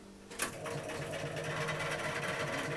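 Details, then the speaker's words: Hermes Model 505 electric typewriter, about 1978, belt replaced with a modified sewing-machine toothed belt: click at switch-on, then a steady buzzing hum like an old electric fan from its aged AC induction motor, normal noise for its age. "as you can hear it's a little bit a little bit noisy now this is old and set so hopefully you can hear me over this but it's it's the reason why it sounds like an old electric fan is because it has got a um ac induction motor in which is more commonly found in the um electric fan"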